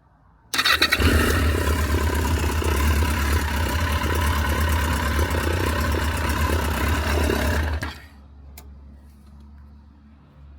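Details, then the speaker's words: Barn-find Yamaha XJ900 Diversion motorcycle with carb float bowl seals leaking fuel, started only briefly; catches quickly and holds a fairly steady four-cylinder idle for about seven seconds before shutdown, no fault audible. "It will just quickly start if it starts. So, you'll hear it running."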